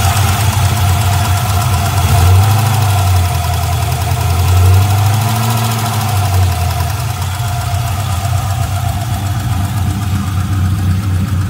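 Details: Chevrolet LS1 V8 with about 1,000-mile valvetrain (LS7 lifters, 7.400 hardened pushrods, .660 dual springs, trunnion upgrade; rockers still tight), runs and drives normally: idle with quick tick about four per second; lifter tick or spun bearing suspected.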